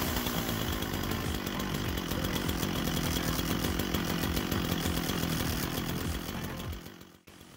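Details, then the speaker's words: Gifted chainsaw that would not start, after teardown, cleaning, new ignition coil, carb kit, spark plug and a replaced pickup coil: fast, slightly uneven two-stroke buzz for several seconds before dying away; running again, carb still needs adjustment. "so it eventually started up there it was a little rough to start at first but considering it's been stripped down to pieces and put back together at lease it's still running better than it was before"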